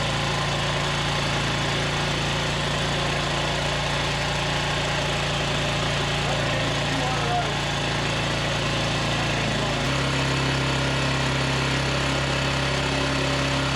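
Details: Polaris 300 Sportsman quad after engine rebuild, first start with the cleaned muffler refitted (soaked in a sonic cleaner). Even low droning idle, holding steady with a slight tone shift partway, no knocks or stumbles. Smoky and steaming from cleaning residue; normal idle.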